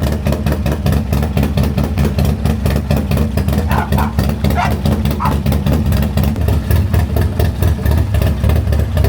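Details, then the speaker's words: Harley M8 128 V-twin, first start after rebuild with spare parts, running without a balancer: loping, even V-twin thump with some shake from the missing balancer, lifters hardly make any noise, no top-end ticking; clean, healthy idle. "[Music] The lifters hardly made any noise. >> Yeah, this one I can just hear the the vibration with no balancer."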